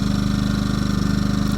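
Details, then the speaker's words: Yamaha EF2000is 2 kW generator idling in economy mode with nothing plugged in, on a below-zero Minnesota January night: low, even thrum with a quick, regular beat; normal idle. "here we go we're going to do a little H view little bit of a video with this generator right here Yamaha ef2000 is it's on economy mode right now"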